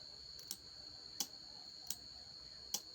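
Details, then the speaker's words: Rilon Arc 160 welding inverter (powers on but dies when welding; no relay click at power-up): relay fed 25 V directly from a bench supply gives four crisp, separate clicks over a faint hum. Relay is fine; supply voltage isn't reaching it. "Ya, relay terdengar hidup. Berarti relay aman."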